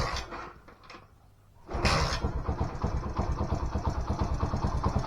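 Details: Small single-cylinder Alfa moped after first-time cylinder/piston rebuild for a strange knock, started on a flat battery: brief quiet, then catches and settles to an even putter about three beats a second; starts and runs fine.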